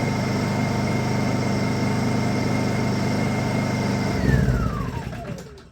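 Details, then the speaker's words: Honda EU2000is inverter generator, fuel just drained during service: steady drone holds about four seconds, then pitch slides down and it dies as leftover carburetor fuel runs out; running on residual carb fuel. "it's a Honda it run without gas holy smokes really I drained the gas out of the you saw me do it things are amazing you saw me do it doesn't have no gas in it"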